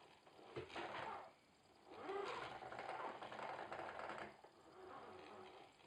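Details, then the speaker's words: Logitech Driving Force GT wheel, second unit, giving quiet irregular plastic rattling and ticking in loose bursts at maximum force-feedback strength with game sound off; gearing sounds loose inside, cause suspected. "Also normal hört sich das nicht an, ey. Das hört sich da an, als ob da drin alles locker ist. Und da drin wie verrückt rumflattert."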